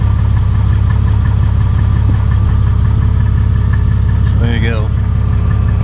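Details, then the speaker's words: 2001 Jeep Cherokee with about 183,000 miles, at idle with a new MagnaFlow stainless steel muffler replacing the split old one that Muffler Weld paste failed to repair. A smooth, even low rumble with no puffing, ticking or rasp; the exhaust sounds sealed. "so we got a new MagnaFlow stainless steel Muffler installed in this 01 Cherokee instead"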